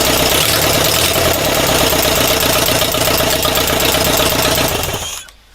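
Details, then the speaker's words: Air-cooled engine's first successful start after resealing intake gaskets and refitting the first carburetor: loud raspy exhaust at fast even idle, almost silent valve rockers, fine throttle response, four bars oil pressure; runs smoothly, normal idle. "Okay. Throttle reaction is fine. Valve rockers are almost silent, but the exhaust is quite loud though it has its own character"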